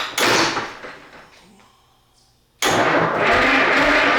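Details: Rare GM Detroit 1-71 two-stroke diesel, old engine being revived after re-bending the fuel line and trying to pull vacuum through the return line: loud rough cranking burst fades, then heavy clatter resumes; turning over but not yet firing.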